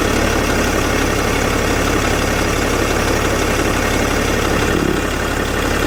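Steady diesel idle with an even low rumble and a faint rough rhythm on top; no clear fault, maybe turbo related. Cause suspected, not confirmed.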